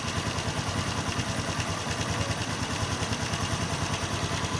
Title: Xrm 125 fi knocking sound left side of engine